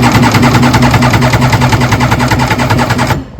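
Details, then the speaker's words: 1994 Kawasaki 750SX jet ski, about 30 years old, compression test on the front (second) cylinder: fast, even cranking chuffs. Reads just under 120, a little low; rings may free up once it runs. "that's about 120 just shy of 120 there yeah it's lose a little bit but not that"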